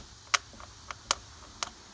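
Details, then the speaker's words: 2005 Chevrolet Silverado driveshaft U-joint forced by hand gives sharp dry pops and is very stiff: broken needle bearings inside a cap, causing chirping from a stop up to about 30 mph that speeds up; joints to be replaced. "hear that popping and it's very hard to move and so that tells me that inside of this joint inside one of those caps there appears to be some needle bearings that have broke"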